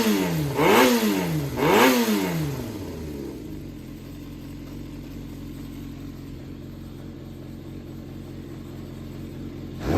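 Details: Yamaha XJR400 (4HM, early model) running engine assembly on start-up check, high compression, no abnormal noise or white smoke: two quick blips rise and fall cleanly, then steady, even idle; healthy.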